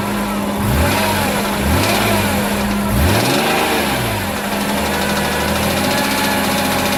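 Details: BMW E46 M3 engine revving with an uneven knocking following revs, developed during normal driving; owner suspects rod knock, not confirmed.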